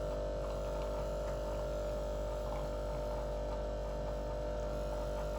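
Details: Breville Barista Express BES870, new never-used returned unit, shot extraction with pressure gauge around 11 o'clock, about 20–25 seconds; steady even low hum, no surging or rattling; normal pump operation.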